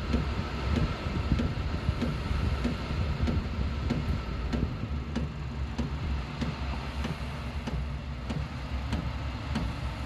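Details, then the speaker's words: Diesel heater installed in a DIY fox box, starting up: low, even fan rumble with light, regular dosing fuel pump tick about every 0.6 seconds as heating begins; running normally. "the next stage will hear you'll probably hear the fuel pump working next there's a fuel pump starting go now"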